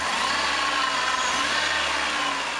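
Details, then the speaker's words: VW Polo at idle during alternator belt replacement, after a right-front engine noise on the highway: steady rough growl from belt-driven accessories; worn A/C compressor bearing needing eventual replacement. "gruñido que escuchan es el rodamiento del aire acondicionado que lo tendría que cambiar en algún momento"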